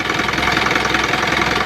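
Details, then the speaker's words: Isuzu 4HF1 diesel truck idling, heavy smoky blowby: steady quick chuffing puffs from the crankcase (breather) over the clatter, from worn piston rings; later fixed by replacing piston rings and connecting rod bearings. "So problema lakas ng tubay. Grabe woo grabe lakas ng blue bay ayan oh meron akong mausok"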